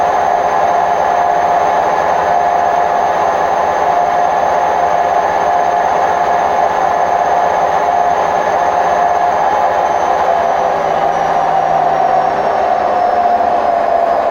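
Fast spin with a loud steady roar and a droning tone riding over it, the hollow rumble of worn drum bearings.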